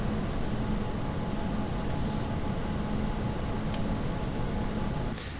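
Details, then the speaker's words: ID-Cooling Space SL360 360mm liquid cooler, fluid-dynamic-bearing fans running flat out under Cinebench load, microphone placed out of the airflow: loud, even rush of air with faint steady hum, no ticking or rattle; normal full-load fan noise. "I am going to run the uh cine bench and you can hear how noisy it is"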